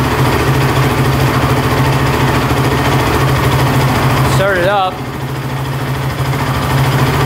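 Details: Honda TRX450 quad that bogs and won't rev out: lumpy single-cylinder idle with busy, fast chatter from the top end over the low thump; not running right, cause not yet clear.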